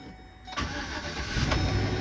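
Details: U-Haul truck reported to lose oil pressure and run rough after starting, after oil top-up: catches after a short crank and settles into a steady, even idle with no knocking or ticking; oil pressure comes up and seems to hold.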